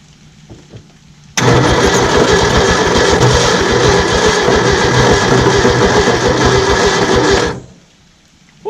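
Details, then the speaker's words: 1967 Ford F100 V8, 76k original miles, parked 40 years, first run on a temporary fuel tank and pump: runs hard about six seconds with a rough clattering racket under exhaust; loud knock, suspected bottom-end or rod trouble, unconfirmed. "that sounds terrible whatever that is there might be a reason he was going to pull the motor so i'm about to send a rod through the side of it"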